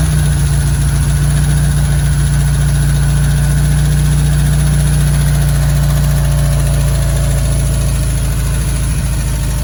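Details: 1965 VW Beetle flat-four, long garage-stored, after the suspected stuck carburetor float was freed by tapping: settles into a steady, even idle with a low drone and no misses; running cleanly.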